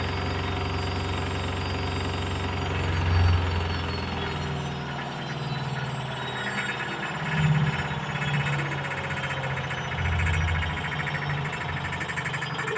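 Heavy low rumble with loud rattling and banging that swells every few seconds as the drum spins; something's wrong in the spin.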